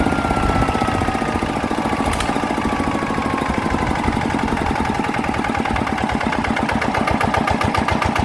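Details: Single-cylinder diesel engine, converted, after replacing noisy gears: even chug with steady firing beat and no gear clatter or grinding; engine now runs quiet and clean.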